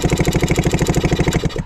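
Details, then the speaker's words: 1967 Yamaha YL2C Trailmaster 100 motorcycle with spark plug out, no compression: quick, even chugging about eleven beats a second, then winding down; the electric starter, just discovered to work, spins the engine freely and strongly. "And it's got an electric starter that works. I've got the spark plug out right now."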